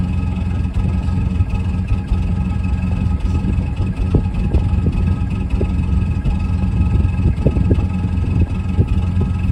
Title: Cold start, Mazda Bravo B2500. Bad glow plug causing rough idle??